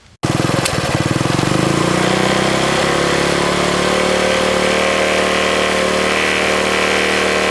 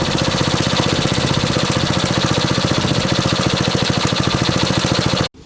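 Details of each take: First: 1964 Honda S90 single-cylinder after trying to stop a fuel leak and refitting the carb throttle slide: fires up and runs with a ragged, uneven beat and no clean steady idle; running rough, worse than the day before. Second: 1964 Honda S90 out of storage: small single revs with a quick, crisp, even beat for several seconds, then shutoff; runs cleanly and sounds healthy.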